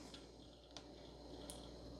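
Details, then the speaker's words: Toshiba Libretto laptop booting Windows 95, dead BIOS battery, 16 MB onboard memory: quiet hum with faint, sharp hard-drive clicks about every three-quarters of a second while booting. Hard drive clicking. "Oh, listen to that hard drive click away. It's trying to boot though."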